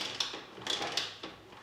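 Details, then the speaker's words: Long-idle motorcycle, kick cranking with ignition off after adding engine oil to circulate it: light ratcheting clicks in bursts with no engine turning over. Kick start slipping; owner suspects stuck or destroyed clutch plates. "Okay, so that is not a good sign. Okay, सो या तो clutch plates चिपक गई हैं या फिर clutch plates हैं वो completely destroyed हैं।"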